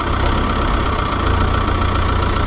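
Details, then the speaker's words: Oliver 1365 tractor that quit in the field, started with a jump box after the transfer (fuel) pump was replaced: steady, deep diesel chug with an even beat and no misses or knocks, a healthy idle after repair. "Transfer pump of sadness. Thank goodness that's all it was."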